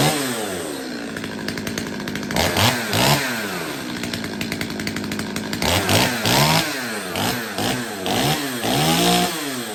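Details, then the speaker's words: Stihl 025 two-stroke chainsaw after repair, carb tuning and chain sharpening, run to oil dry bar and chain: crisp revving up and dropping back in repeated blips, picks up without bogging. Normal running. "but for now let's give it another run um the bar and chain are pretty dry right now so I want to get it oiled up you know"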